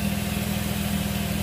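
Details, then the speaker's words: 2005 Nissan Altima after replacing screaming serpentine belt and pulley, tensioner bolt tightened: even steady idle with smooth low hum, no squeal or chirp; accessory belt drive now quiet and healthy. "now start it up CP here noise here there's no noise which is good the boy was screaming"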